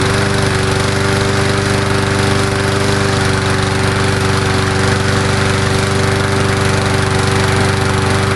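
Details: Murray Dynamark 22 mower, 3.75hp Briggs & Stratton, cold start on fresh gas after sitting unrun about seven years since 2009, smoking slightly: steady fast even thrum, no misses or knocks: normal running.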